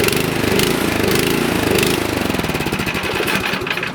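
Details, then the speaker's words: Nearly new, lightly used 24-inch Troy-Bilt snowblower that sat about 9 months with gas, after carburetor cleaning and bowl O-ring reinstall: small engine idles unevenly, speeding up and slackening, still lean idle surging, runs slightly better. "Okay, so it runs a little better, but it still has that annoying surging, so I'll take it back in the shop and show you what to do to finally correct that."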